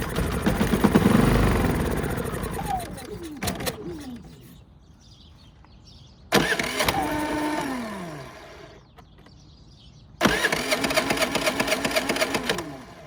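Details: Predator 3500 generator, crank-no-start: with carb cleaner sprayed in, engine catches, runs a few seconds, sags and dies, three times over. Fuel delivery issue, fuel bowl empty; fuel starvation.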